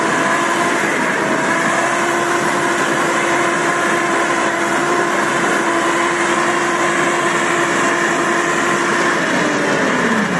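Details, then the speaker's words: Samurai rotary mower with small rotors spun at higher speed, third setting; loud steady mid-pitched hum from chain running in its housing and gearbox, easing slightly at end; chain sits correctly, normal drive noise. "Косилка страшная, гудит она страшно, но не надо этого бояться. То есть там цепь все-таки, цепь лежит правильно, цепь крутится по картеру."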